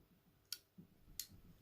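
Two crisp, clean clicks about two-thirds of a second apart as the knob turns; the contact engages normally.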